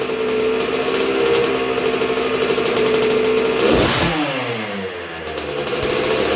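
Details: 1986 Honda CR125R two-stroke on a break-in heat cycle after a new .060-over Wiseco piston top end: crisp idle with a sharp light blip, barely any throttle, climbing and falling cleanly back; eager, healthy normal running.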